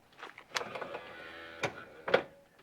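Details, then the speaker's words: 2006 Alfa See Ya motorhome electric entry step, motor and gearbox: about a second of even motor whirr with soft clunks at start and stop as the step extends smoothly, no grinding; the fault appears only on retracting. "seems like everything's just working great until we go to close it"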